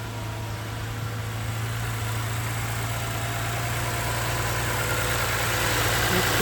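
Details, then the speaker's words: 2020 Toyota Sienna after replacing the worn water pump whose pulley bearing had play and caused a front-of-engine rattle/growl: smooth, even idle with a steady low hum and no rattle or growl. "the belt properly. No more noise."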